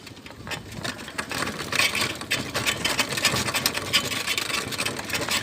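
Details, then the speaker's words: Bicycle (Ranger) rear non-oil shock absorber worked by hand: rapid dry clicking and creaking from the worn plastic bush at the shock's centre pivot; fix is replacing the bush with a bearing. "दोस्तों अगर आपके पीछे वाले साकर से आवाज़ आती है इस तरह से, ये देख लीजिए, इस तरह से अगर आपके साकर से भी आवाज़ आती है"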